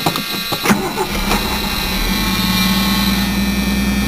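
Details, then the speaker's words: 1980 Ford Mustang, 200 CI inline six with glass pack, stock exhaust manifold and manual choke, put on the road a month ago: brief cranking, then it catches at once into a steady, even idle. Healthy quick cold start, runs smooth. "But fires right up just like that. And it's smooth running. No mechanical problems so far."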